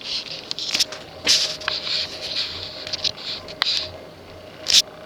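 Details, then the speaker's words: Early-1980s Sears/Emerson 54" drop-flywheel ceiling fan on low speed (capacitor/resistor circuit): light, irregular clicking and buzzing over a faint motor hum. The loose switch housing rattles against the nylon bushing at the flywheel and goes silent when held. "you hear it rattling already there is a nylon bushing between the ship switch housing shaft and the flywheel because the switch housing is loose now I pull on the switch housing I instead silent you know when I let go of it buzz buzz buzz buzz buzz"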